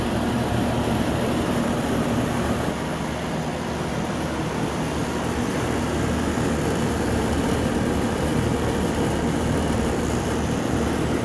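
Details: Home A/C condenser unit after a contactor relay replacement for a compressor that would not start: steady, even hum with a low drone and fan rush, no clicking, buzzing or stalling, running normally.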